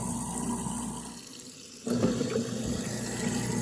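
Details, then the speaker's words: Garbage disposal after clearing dirt, mud and small rocks with a wet/dry shop vac, running with water on: even motor hum, no grinding, rattling or knocking, spinning freely. "and we'll get it swirling around a little bit. And that is sounding good. I like it."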